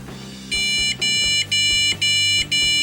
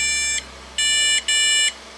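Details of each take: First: PC powering up after a suspected one-long-two-short VGA error: five even high beeps, about half a second each, then quiet; normal power-on beeps, board boots into BIOS fully functional, just nothing to boot from. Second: PC power-on with speaker connected: one long beep then two short ones; owner suspects the one-long-two-short code means a VGA/graphics error, not confirmed.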